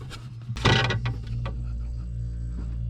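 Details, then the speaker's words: Mini refrigerator that was not cooling, compressor had not been kicking on; plugged in after a test connection bypassing the thermostat: short clunk, then a smooth steady low hum; compressor starts and runs normally. "so now i'm going to plug this in and we'll see if that compressor kicks on"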